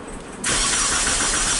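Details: 2001 Mitsubishi Galant 4G94 after engine swap, crank-no-start: engine spins over at an even, steady cranking pace with good-sounding compression but never fires; timing-belt timing being checked, crank sensor suspected missing.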